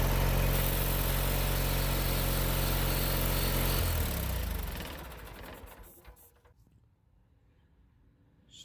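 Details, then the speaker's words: Bolens Duratrac GT2000 tractor after a battery swap (the starter had spun without engaging the flywheel): the small engine runs evenly for about four seconds, then is switched off and winds down cleanly with no stumbling. Normal running. "it did start it up let's hope the issue is a battery not the electric starter"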